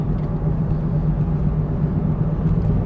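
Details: 2005 Smart ForFour driving at about 30 mph (also from 40 mph): low droning hum under road noise swelling with speed; worn front wheel bearing, later replaced.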